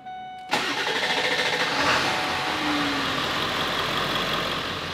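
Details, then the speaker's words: 1999 Ford F350 dually diesel, nearly 300,000 miles, sat three years, new Banks AutoMind tuner, after low- and high-pressure oil pump problems were fixed: catches after brief crank and settles to a steady, even idle with no knocks or misses; normal start. "Other than looking really bad, it sounds quite good. So, check out how this sounds."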